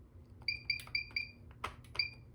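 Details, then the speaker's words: Radionics D6112 alarm panel silencing a fire alarm from the keypad: short high keypad beeps with a few dry clicks as the bell relay clicks, normal operation. "Let's go ahead and silence that. You can hear the bell relay clicking."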